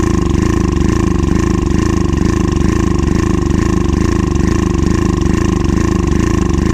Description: Access motor ax700 misfires, hesitation. Injector is clogged, fuel pump issues and fuel filter is clogged.